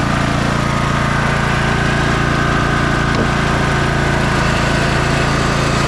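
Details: 2004 MTD Yard Machines Gold 18.5 hp lawn tractor single-cylinder engine after a carburetor cleaning and oil change. Settles into an even, steady idle with a smooth putter and no misses or knocks. Normal idle.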